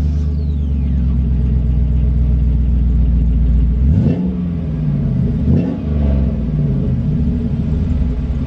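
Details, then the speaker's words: 2002 GMC Sierra 2500HD, 6.0 gas V8, warm startup (driven ~20 minutes before): deep, loud, raspy rumble at idle swelling with two quick blips; rusted muffler has a hole, exhaust leak. "I'm gonna give you guys a startup with the rusted muffler see I can see it that sounds like I guess"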